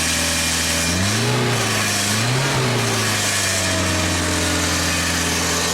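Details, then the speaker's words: Engine of a 1995 Genie Z-45 boom lift running on ground controls, also reported to stall: it holds a steady high-speed drone with a brief wobble and won't drop to idle. The throttle seems maxed out, cause not yet known. "that's as low as the throttle goes. So when you hit high throttle, nothing happens. It's already maxed out."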